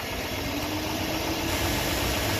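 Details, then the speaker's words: 2007–2014 Chevy 5.3L V8 truck idling after serpentine and accessory belt replacement, front of engine, hood open: steady soft hum, no squeal or chirp; earlier slight whine and light hiss now reduced to normal engine sound. "I think it's less whiny, it's just the sound of the engine."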